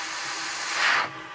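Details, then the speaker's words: 2005 Ford 6.0L Powerstroke diesel, 287,000 miles, no-start, high-pressure oil system air-tested: a sharp, steady hiss of escaping air swells then drops away; air leak in the high-pressure oil system. "all right so basically and cover that hole you can hear that that's where the pressure is"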